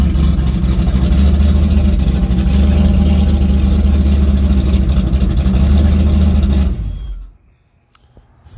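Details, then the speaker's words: Rebuilt stock 304 V8 (5.0L), 11R heads with 53 cc chambers, about 10.2:1 compression, open headers, cold with coolant issue unresolved; loud blips settling into fast lumpy idle with good compression, then shutoff; normal revving. "I think sounds good, man. Yeah, sounds. You can tell it's got some compression."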